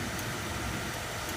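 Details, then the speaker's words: Trailer-mounted hot-water pressure washer system at startup: strong, steady rushing air from burner blower with no rattle or wobble, putting air into the burner before ignition, no fire yet; normal burner blower. "it'll always sound this way unless there's something wrong it's a good strong blower sound that's putting air into the burner but there's no fire yet"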